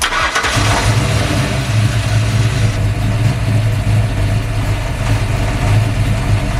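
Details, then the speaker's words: V8 fire-up: brief crank, then deep lumpy but even idle, no knock or misfire; healthy start. "All right, y'all, there she goes. She talking that yank."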